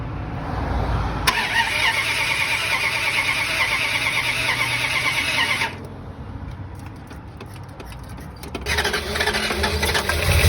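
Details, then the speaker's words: Car engine cranks, catches, and runs rough and lumpy with a heavy, uneven misfire. The distributor cap had come loose with both clips undone, and the rotor had burned away the inside of the cap. "Okay, I just figured it out. My distributor cap came loose. So, that would explain how heavily it was misfiring."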